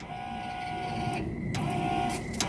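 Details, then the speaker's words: 1978 Dodge Power Wagon with 383 from a '70 'Cuda, first start attempt after 10+ years: fuel pump whirs and whines intermittently, powered through a stray ground via the engine; cause a loose, backwards-wired wire. "we've got a mystery fuel pump it sounds like somewhere just having a good time and it's still wired"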